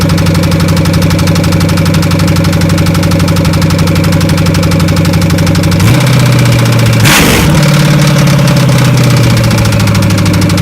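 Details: 1993 Chevy with open headers: loud idle with a steady deep knock about four times a second that persists through a brief blip; rod knock.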